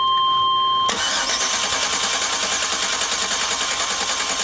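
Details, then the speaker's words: 1998 Chevy van 5.7 V8 with multiple-cylinder misfire, cranking with coil primary unplugged for relative compression test: steady even cranking beat about three per second; compression sounds good. "Compression sounds good, right?"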